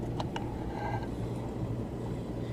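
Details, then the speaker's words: 2003 Chevrolet Silverado 2WD, front wheel jacked up and spun: quiet low hum with faint brake pad swish, no rumble or grinding; hub bearing sounds normal, the faint pad grind is normal. "can you can hear a very faint grind from your brake pads well that's normal"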